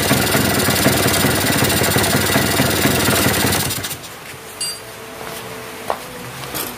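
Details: Yamaha V80 two-stroke after fixing a compression leak at the cylinder head with a new glued gasket: crisp, even buzz held at revs, then shut off, with no popping or leaking puff; no longer leaking.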